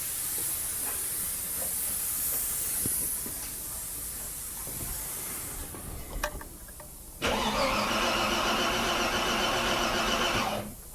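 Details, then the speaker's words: 45-year-old 2.8L Vauxhall Royale coupé with a rebuilt engine, hot. A steady high hiss of fluid blowing out at the top hose before a short engine run; owner unsure whether it is heat, combustion-gas pressurisation or just the clamp. "blowing out that top hose. But again, is it because it's hot or is it is it pressurized or is it I don't bloody know."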